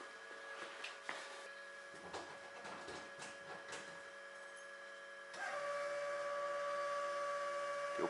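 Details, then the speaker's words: Classic BMW 2002 race car: quiet, then a steady even electric hum starts around five seconds and holds; electric fuel pump priming normally before starting. "Fuel pump's going. We got live."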